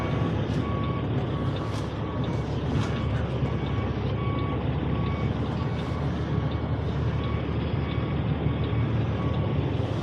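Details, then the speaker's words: Delivery truck idling (diesel per sound) in the rain: steady rapid beeping about twice a second with no reverse engaged, from a body control module the owner says is still acting up. "As you can hear, my body control module still acting up."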